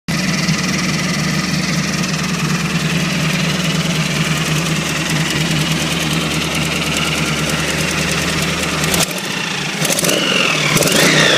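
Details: 1986 Chevrolet Camaro V8 (355, 671 blower noted) idles with a rough, puffing tick from an exhaust leak, then revs in several bursts.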